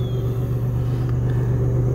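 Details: Pontiac Aztek all-wheel drive, cold start on possibly old gas: steady, even low rumble with no ticks or knocks, settling smoothly into idle; normal cold start.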